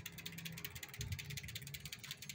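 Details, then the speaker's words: Shaft-drive bicycle with a full aluminium frame, 26-inch wheels and a Shimano Nexus 3-speed rear hub: a quick, even ticking from the rear hub freewheel as the wheel spins, with no scraping or grinding from the shaft. A normal, quiet drive. "Các bạn sẽ không nghe thấy bất cứ một tiếng lẹt xẹt nào của trục lát. Đấy, cái mà các bạn nghe nó hơi lẹt tẹt đấy là của lít nhé."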